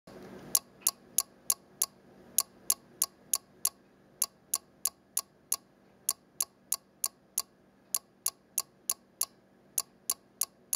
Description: Clock displaying time on a single 7-segment digit, with relay noise on each digit change.